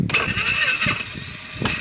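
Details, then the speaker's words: Polaris Sportsman 500 quad, 12,000 km, choke on, problems since being rolled: starter whirs and drags with weak, uneven low turns, no firing; AGM battery seems dead, owner suspects it's not charging since the flip. "Okay, you see how the battery seems stone dead like that? That is an AGM gel battery that I paid good money for."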